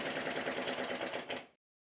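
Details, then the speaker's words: Model Stuart triple expansion steam engine with new individually adjustable eccentric sheaves on high-pressure cylinder valve gear, roughly adjusted valve timing, running in reverse: quick uneven clatter of light knocks for about 1.5 seconds; rough running, final adjustment pending. "rough adjustments of the valve timing and as you can see the engine also now runs in the opposite direction which is more than I could successfully get it to do with the 30° eccentric pair"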